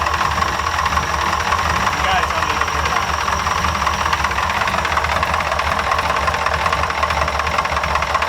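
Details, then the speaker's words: Ford F100 with tapered bore, good oil pressure: uneven, lumpy loping idle, exhaust sucking air back in at one pipe; owner hears one cylinder misfiring, suspected, not confirmed, before teardown. "yep sounds great yeah i think still runs really good but i can hear one cylinder's not happy"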